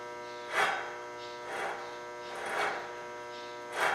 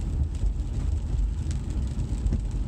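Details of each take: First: 2012 Cadillac CTS front passenger wheel bearing, removed hub spun by hand: gritty rasping swells about once a second, versus a quiet new bearing; worn bearing caused speed-sensitive groaning while driving. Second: 2012 Cadillac CTS road test after front wheel bearing replacement: only steady low road rumble and wind at cruising speed, no growl rising with road speed as before; wheel bearings now quiet.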